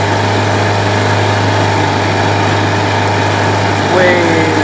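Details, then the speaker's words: Honda BF75 outboard after carburetor cleaning and idle mixture screw reset to 1 7/8 turns out, warmed up: steady even hum lifting cleanly in pitch as throttle opens, no stumbling; idle issue fixed, accelerates well. "fire it up just fine you know I can bring the speed up accelerates a lot"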